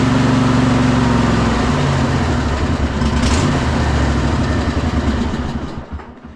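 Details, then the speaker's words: Cub Cadet Super LT 1550 lawn tractor with a carb not yet tuned: idles roughly, then the beat slows and dies within about six seconds once the choke is off; carburetor suspected. "doesn't seem like it wants to run when choke is off. So, we might be getting back into that carburetor."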